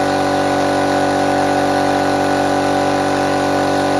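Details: Restored compressor fired up for the first time after refurbishment, checking whether it works: steady even motor hum with constant mid-pitched drone and no knocks or rattles; normal running.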